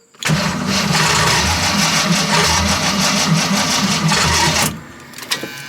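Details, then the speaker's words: 1979 AMC Spirit AMX with EFI swap, hot restart on the roadside with coolant at 199°F: long, uneven, lumpy crank for about four seconds, then cuts; hard hot start. Owner suspects it skipped a hole or sheared a tooth. "sounds like it's skipping a hole or sheared a tooth off one of the two"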